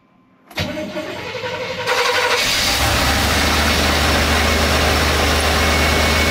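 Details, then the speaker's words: Barn-find squarebody Chevy C20 pickup, out of service a long time: fuel pump kicks on, brief crank, catches within a second and settles into a steady, even idle with no knocks or misses; healthy runner. "all right let me get you in here and fire this thing up so you can listen to this baby purr"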